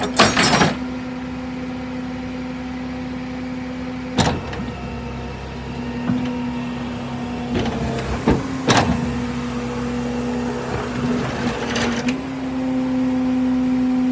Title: Chevy van with bad wheel bearings